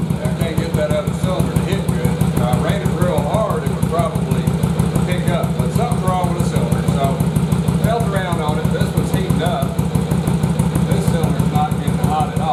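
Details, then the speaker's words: Yamaha Virago bobber, sat for a few winter months: an even, lumpy thumping idle of about three beats a second on only one cylinder, with the front cylinder dead or erratic; a fouled plug was found. "so when i fired it up it fires up but it only hits on one cylinder here both of them come on and one of them being really erratic"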